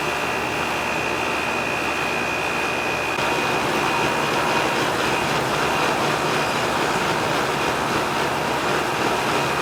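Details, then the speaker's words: Old R22 AC outdoor condenser unit on a no-AC call, fan reported not spinning: steady whoosh with faint whine, airflow swelling and easing unevenly as the fan surges; capacitor suspected, tech also suspects low refrigerant. "It seems to be surging like. I want to check this capacitor, see what's going on with it, because it's acting up, you know."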